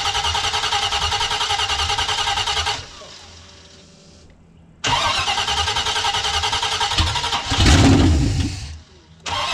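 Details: Jeep J20 V8 test-fired after Holley Sniper EFI install with new headers and full exhaust: loud throaty even rumble, cuts out and restarts, then revs cleanly; sounds healthy.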